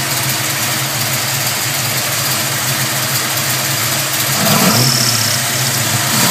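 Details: Chevy 327 small-block V8 at idle: a light, quick chirping, about four a second, from the rear of the passenger-side valve train; cause unknown.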